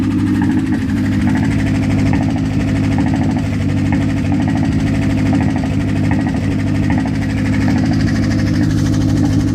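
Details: Mazda engine at idle after sitting for a long time: a light knock repeats evenly over the low drone; source of the knock not pinned down.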